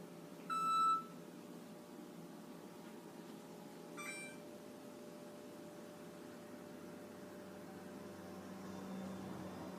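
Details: Six-month-old Frigidaire gas range model FPGF3077QF gives two bursts of high electronic beeps over quiet room hum, repeating non-stop until power is cut; faulty main control board, later replaced.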